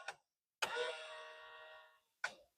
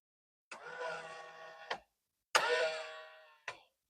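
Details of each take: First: Nissan Silvia S15 right power mirror gives a click, a smooth even motor whir of about 1.5 seconds, then another click as it folds normally. The left mirror only makes a noise and is suspected to have a broken worm gear. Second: Nissan Silvia S15 Spec S left folding mirror: two short motor whirs of about a second each ending in a click, but the mirror does not fold; owner suspects a broken worm gear.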